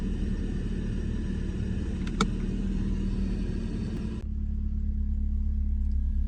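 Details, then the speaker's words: Idle on a 28-year-old BMW E36 Compact, 1.6 M43 four-cylinder: steady rumble dips sharply and settles lower whenever electrical load is applied, as the alternator struggles to keep up; suspected, not confirmed. "And I'm not sure if you can hear that, but when you put it to any work at all, let's demonstrate, the engine dips alarmingly as the alternator tries, there we go, as it tries to keep up."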